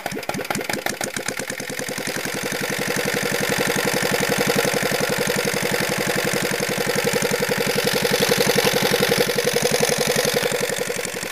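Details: Petter AA1 single-cylinder diesel, said to have a reconditioned injector pump, hand-cranked from the opposite side because the usual handle is damaged: it starts and settles into slow, even thumping at about three and a half beats a second. Normal start and idle.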